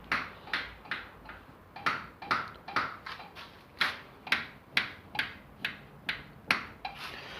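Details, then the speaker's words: Chevrolet Niva steering knock: sharp metallic clunks about twice a second when turning the wheel; owner first suspected power steering, but cracked frame rail/beam where the steering box mounts was the cause. "Ребята, появился характерный звук в рулевом. Вот когда руль крутишь, что-то стучит."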